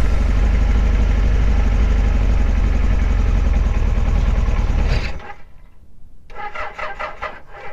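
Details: 1976 Kawasaki KZ900 four-cylinder after sitting about 10 months, fresh gas: even, steady beat for about five seconds, then switched off; normal running.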